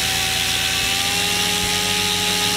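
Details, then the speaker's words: Goblin 500 electric helicopter, Castle Talon 90 ESC in Heli Fixed End Point mode after reprogramming: smooth, steady high motor and rotor whine, no roughness or surging, holding raised headspeed in idle up; head speed steps normally between modes. "and you can hear that it went up I'm going to go back down the idle up one it went down back down into normal mode and it went down again"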